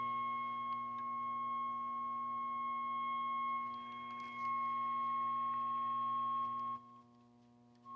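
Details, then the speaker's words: Mid-1960s Channel Master 6528A six-transistor AM radio with an injected 455 kHz test signal: steady whistling tone through the speaker, confirming the IF stage works; fault is a dead local oscillator. "Well, that pretty much confirms that our IF is working. Because that's a 455 signal that I'm just hanging adjacent to the... Yeah, so the IF's working."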